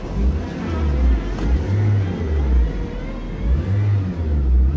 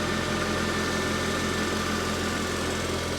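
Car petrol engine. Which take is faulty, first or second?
first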